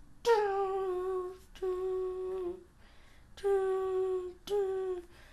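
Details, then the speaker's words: Canon EF-S 24mm f/2.8 STM pancake lens autofocusing: four short steady mid-pitched motor whines; autofocus accurate but slow and somewhat noisy, normal STM motor noise. "So the autofocus is accurate, I've found, but it is quite slow, and it does make a bit of noise. It makes this noise"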